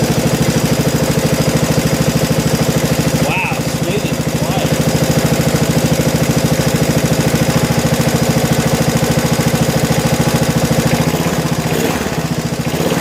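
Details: 1987 John Deere SX75 lawn tractor, first run, on battery charger: even, steady single-cylinder putter at idle, about three beats a second, no misses or surging; normal idle.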